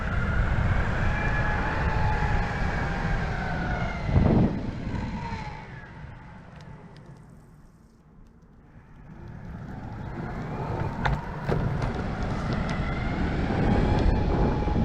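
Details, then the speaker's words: Verreal RS electric skateboard, stock 42T pulleys, 90 mm wheels, ridden floored: steady low road rumble with soft motor whine rising and falling, no grinding or clatter; quiet, normal belt drive. "okay so the board isn't very loud it's somewhere in between the andra and the evolve it's actually pretty quiet kind of like the evolve is that was floored so it's not that loud"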